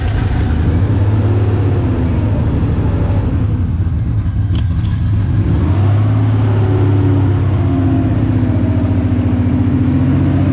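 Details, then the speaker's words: 1994 Mazda B3000 with swapped 4.0 OHV, after clearing water-contaminated fuel from the injectors: deep steady drone with smooth rev rises, no knocks or misses; now running, owner notes a vacuum leak. "All right. Well, that's it. It's running now."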